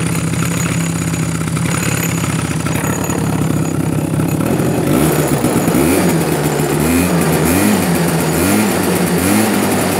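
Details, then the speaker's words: Chinese Cobra quad starting on one kick after carburetor cleaning; small single putters at an uneven but steady idle, then picks up cleanly on throttle blips; runs halfway decent, normal idle. "as you can hear and see it's a one kick wonder it seems to run halfway decent"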